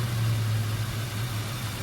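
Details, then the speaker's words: 1968 Dodge Coronet R/T with rebuilt numbers-matching 440 V8 and original carburetor, just warmed up: low, slightly uneven loping idle; owner suspects a plugged idle circuit and notes some detonation. "Mages have a little bit of an idle circuit plug somewhere we'll let her go a little bit like that and see if it cleans itself up"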